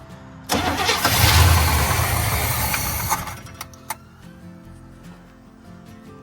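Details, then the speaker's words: 1972 Chevy C10 402 big block, flood survivor unrun for nearly 30 years, old oil drained: cranks with brief rough surge that fades without catching; owner suspects fuel starvation, maybe clogged filter or gummed carb bowl. "Come on, you can come to life now. Come on. Okay, starving for fuel."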